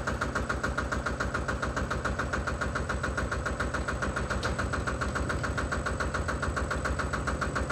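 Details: Single-cylinder Lister diesel on a Benford TS25 radial swing concrete buggy, recently repaired, fresh oil, low hours, new tires. Slow, even thumping about three and a half beats a second, steady throughout; running healthy.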